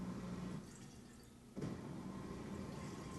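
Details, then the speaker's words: Whirlpool WDF310PAAS4 dishwasher after electronic control panel replacement, first 1-hour cycle: quiet steady pump hum with water gurgling as it drains leftover water normally. "It looks like it's draining, actually. It's draining what was in there."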